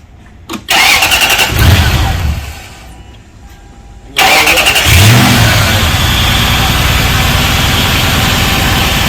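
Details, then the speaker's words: Lexus 2UZ-FE V8 at 220,000 miles, timing belt done in 2019 at 205,420 miles, getting a new radiator and hoses: quick crank, clean catch, settles to a smooth even idle with no knocking or ticking. Normal start and idle. "Sounds beautiful, no knocking, no ticking. Pure, just pure like a kid."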